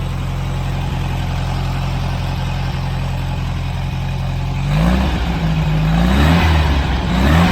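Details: Air-cooled VW Bug engine, revived abandoned car, pinched fuel line fixed, warming up for heat cycles to seat rings: smooth, even low idle with steady beat, no knocks or misses, idles on its own.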